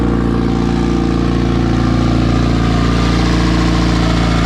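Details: Porsche 944 turbo project, first start after almost two years, with a fuel leak and low battery: deep steady four-cylinder drone with an even beat, no misses or knocks.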